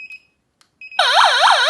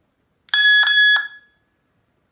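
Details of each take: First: Solar wireless siren-strobe alarm with infrared beam sensors, tone changed with a key: a few short beeps, then a loud warbling siren sweeping about four times a second. Selectable siren alarm tone. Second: Armed solar wireless siren with infrared beam sensors triggered: a loud shrill siren blast for about a second, then two short bursts of rapid chirps, sounding an alarm.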